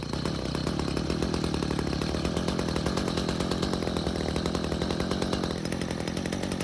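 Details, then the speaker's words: Stihl two-stroke hedge trimmer stored with old fuel, after L screw turned out another quarter turn (half total) and idle speed raised; holds a steady even buzz and picks up revs cleanly without stumbling or dying. "So, this time it stayed running. It was even revving just fine."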